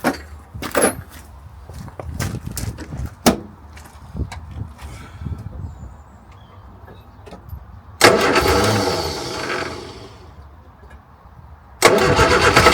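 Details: Morris Minor 1000 after a long break, spark plugs just done, battery boosted: scattered knocks, then two cranking bursts that trail off without a steady idle, reluctant to fire; cause not confirmed.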